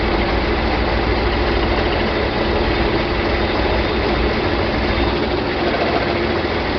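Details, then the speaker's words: John Deere 4020 diesel tractor just restarted after clutch replacement and split reassembly, idling at about 1,000 rpm in park, a little smoky: low steady roar with uneven, choppy beat while air is worked out of the hydraulics; rough running. "Still real choppy, isn't it?"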